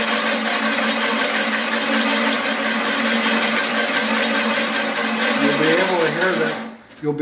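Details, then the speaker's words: Imported metric reel mower, reel driven by drill during back-lapping with abrasive compound after bedknife adjustment. Steady gritty rasp along the whole reel length as compound bites between reel and bedknife; expected lapping sound. "again we're getting it even all the blades you can hear the grit taking a hold make sure you get it all the way to the ends"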